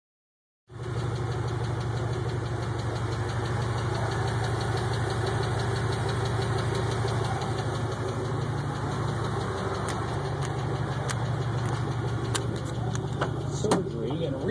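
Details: 5.3 V8 Pontiac Grand Prix GXP engine running with a radio on: a light, fairly even tick of about three per second rides on a steady low drone; the source of the ticking is unclear.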